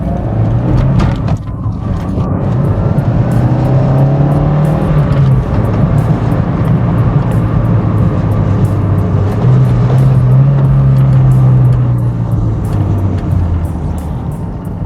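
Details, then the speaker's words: 1992 Toyota MR2 on the road after engine knock repair, revved all the way out: smooth engine note rising and falling under road noise with no knocking; healthy engine, though the check engine light is still on. "I can rev all the way out and not a single noise happens. No more knocking. This is great."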